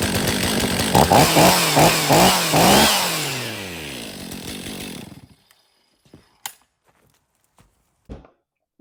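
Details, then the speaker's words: 2023 Stihl MS500i 79cc fuel-injected chainsaw, after a new NGK CMR6H plug: crisp revs rise and fall about twice a second with clean pickup and no bogging, then it shuts off. The flooding has cleared and it runs healthy. "there this 500i runs. Just had to clear its throat out. Was pretty flooded."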